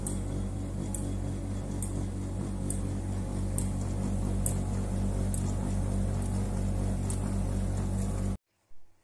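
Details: New-generation Bosch Avantix compressor (heat-pump) dryer running with a little wet laundry, humming through the whole house and also not drying fully: heavy low rumble and hum with a faint tick about once a second; cause not yet found.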